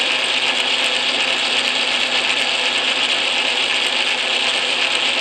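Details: Atlas Craftsman lathe after shimming the tumbler gear to cure gear lash: even, steady whirr with faint irregular ticks that stays level as the cross feed and carriage are engaged under load; the gears mesh quietly, much quieter than before.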